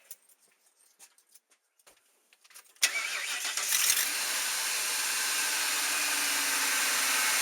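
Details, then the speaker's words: Ford Triton V8 truck after replacing spark plugs and coil packs: few light clicks, then starts at once into a steady, even idle; vibration and exhaust popping gone. "yeah! Well, I can tell a huge difference. Vibration is totally gone. No more vibration in the engine."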